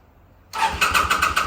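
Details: 2005 Kawasaki VN800C, about 130,000 km, off the road since about 2015: quick, even starter-cranking pulses about eight a second with no firing yet, on a recharged battery and fresh petrol; slow to catch after long storage.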